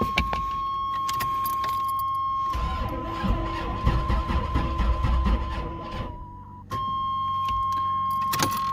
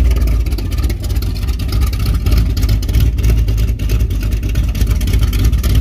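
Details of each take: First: Firebird with 454 big-block and Thumpr cam, first start in about two months, battery on charger, no fuel in carb yet: starter turns slowly in uneven labored beats, never fires; slow crank, no start. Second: 454 big block with Thumpr cam in a Firebird, first start in two months, timing pulled back slightly: deep uneven loping rumble at about 800–850 rpm idle, good oil pressure, no knocks; normal.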